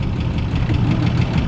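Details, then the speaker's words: 1961 Ford Falcon left sitting 15 years, started on the key without throttle: low, lumpy idle with an uneven pulse stumbling every few beats, possibly missing on a cylinder; cause unconfirmed. "we're just going to hit the key she fires right up and runs how about that huh unbelievable"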